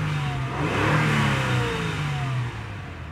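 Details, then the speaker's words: 2003 Acura TL Type S 3.2L after fixing a dead cylinder 1 that caused P0300, P0301, P0302 and P0304 misfire codes, codes no longer returning: clean throttle blip rising and falling smoothly, no stumble or popping, pulling evenly on all cylinders. "I'm gonna read the engine for you guys real quick to show you guys how much better this vehicle is actually revving up it's actually at this moment the I was so much better so here we go"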